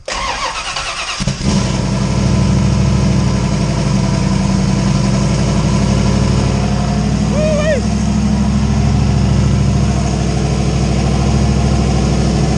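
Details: Ford Foxbody with 358 Windsor V8 and 80mm turbo, started after wiring an alternator kill switch; short crank, catches right away and settles into a lumpy V8 idle with deep rumble; fires and runs normally.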